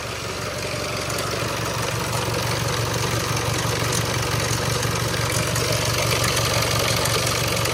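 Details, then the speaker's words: Range Rover Evoque Ingenium diesel, first start after repairing a failed engine and resetting the timing marks, with no oil around the chain yet: steady idle with a fast, fairly even light rattle, roughly three per second. Timing chain rattle is suspected, not confirmed. "it's going to Rattle a little bit when you first start it up there's no oil in the field"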